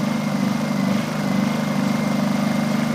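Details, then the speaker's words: Honda EU2000i generator on propane conversion with modified carburetor, eco mode, no load: low steady idle with gentle even pulse about twice a second and small vibration, same as on gasoline; normal eco-mode idle. "I'm under the conclusion with everyone else that that's exactly how they run in eco mode. There's a small vibration, so no big deal."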